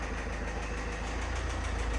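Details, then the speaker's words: 2012 Range Rover Evoque 2.2 SD4 diesel, front-end crash damage with affected radiators, at a Copart auction: rough idle with faint regular knocks and exhaust fumes; they suspect the engine itself, or possibly the fan touching something. Unconfirmed. "Cred că e motorul. Nu sună deloc bine."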